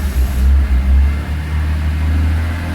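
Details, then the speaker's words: 2002 BMW E46 M3, nearly 200,000 km, cold, engine/EML light on: gentle throttle to 2,000–3,000 rpm breaks up with uneven dips and surges; owner first suspected VANOS, faulty throttle position sensor found. "You can see this kind of stuttering. Seems like it's not so bad when it's cold. Maybe it's get worse when it's hot."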